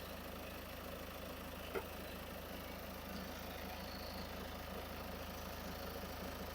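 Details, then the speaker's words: Ford diesel with about 50,000 miles idling after alternator replacement: smooth steady low drone, no grinding or whining like before; new alternator charging about 14.5–14.6 V — normal idle. "Slowly slowly right now vehicle has a good idle. Yeah, that job success. And you can hear No any grinding noise, winding noise like before"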